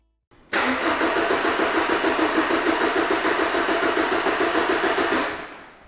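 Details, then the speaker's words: 2011 Ford Transit Connect 1.8 TDCi, crank no start: starter cranks steadily about three and a half beats a second for nearly five seconds, never fires; good crank sensor signal back-probed at ECU but no engine speed registered, faulty PCM condemned. "and as you can see no engine speed being registered so there i am uh the i'm back probed into the two wires on the ecu plug so i think we've got enough evidence there to conclusively condemn the engine ecu on this vehicle"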